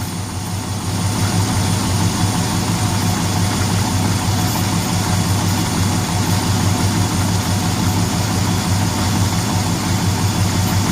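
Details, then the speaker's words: 2005 Dodge 1500 pickup, 4.7L V8, after head gasket repair (previously misfiring, white smoke, gasoline-smelling coolant), no check engine lights, combustion leak test clear: steady, even low rumble with no ticks, knocks or misses; normal idle. "Alright, y'all, we got this thing running. We got no check engine lights."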